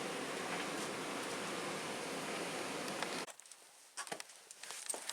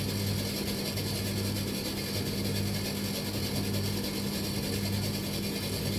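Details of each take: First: Tumble dryer tested with no heat, direct belt drive without a jockey wheel, belt dry and starting to crack: soft, steady whoosh with no thumping, squealing or scraping before the drum stops; running quietly and smoothly. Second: Machine with a belt-driven drum, no heat, on low heat: a loose, uneven mechanical clatter under the steady motor hum, traced to underneath at the back; not a jockey wheel; source still being traced.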